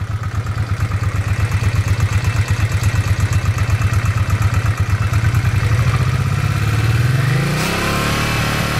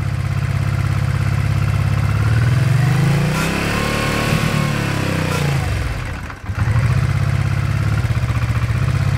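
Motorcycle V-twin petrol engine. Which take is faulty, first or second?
second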